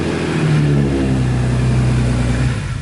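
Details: BMW E46 M3 being torn down, engine never heard running before, first start after not starting: strong deep note holding a steady rev then easing off, smooth and even with no knocks or misses; sounds healthy.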